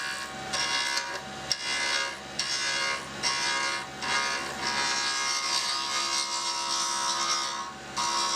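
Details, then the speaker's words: Acrylic key ring knife blank (Craft USA compact kit) spinning at 4,100 RPM; harsh buzzing scrape pulsing about once a second as the roughing tool skips on high spots, so tool chatter on a still out-of-round blank. "Again, we want to see if it's round, and we can still hear it has a little chatter."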